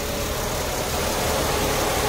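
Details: 2004 Mercedes-Benz engine idling with top covers removed: steady idle speed but coarse, busy, noisy sound; valve cover inspection showed clean internals with no oil sludge, cause unclear.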